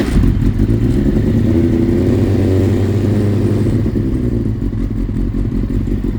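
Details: Kawasaki ZX-9R running steadily after fuel flow restored; even exhaust beat, earlier clicking noise gone, sounds healthy.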